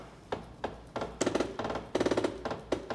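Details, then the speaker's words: Bambu Lab A1 3D printer homing all axes at calibration: sharp clacks in bursts of rapid knocks as the carriage strikes the still-fitted shipping locks; printer turned off so it doesn't break itself. "That don't sound too good, does it? I don't remember if my other A1s did that sound, but home all access."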